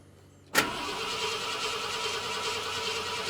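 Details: 1972 Ford F250, 66k miles, parked since 2007, with rebuilt carburetor and new fuel pump: starter cranks evenly for about three seconds without firing; cranks but won't start, fuel delivery in doubt.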